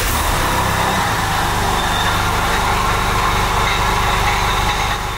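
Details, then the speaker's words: Porsche 996 with M96 engine and 59k miles, later-version IMS bearing, at idle. Steady idle with a faint whirring over the rumble, seemingly from the front belt-driven accessories; suspected bearing, water pump, power steering or clutch; timing chain tensioner and IMS judged unlikely. "Could it be timing chain tensioner? I don't think that's timing chain tensioner noise. It's not IMS bearing noise."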